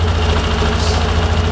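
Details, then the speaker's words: Bike with a Juken 5 ECU, idle target 1700 rpm: steady fast idle with a firm low thrum, wandering between about 1600 and 1700 rpm as the ECU hunts for target; normal idle. "Dan mesin akan dipaksa sesuai target, yaitu 1700 rpm. Ya. Dia akan selalu mencari supaya 1700."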